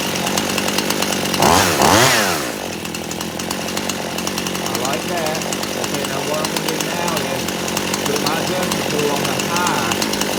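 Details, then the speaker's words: Poulan Pro chainsaw at wide open throttle, high-speed screw adjustment: turning it out makes it bog and burble, then turning in slowly climbs back to a clean steady scream. "so I had to go in I had to turn it in when I turn it out you can hear it start to Bo down a little bit and then I started to turn it in slowly until it cleared out"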